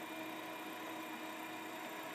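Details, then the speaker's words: Hard drive in an IBM XT case with a 386 motherboard, after swapping the 130 W supply for a 200 W one: faint steady whine over a soft hiss with no clicks; spins up and boots normally. "We got a 200 watt power supply in here now, and now the hard drive boots exactly as it should. It had enough power to spin the motors."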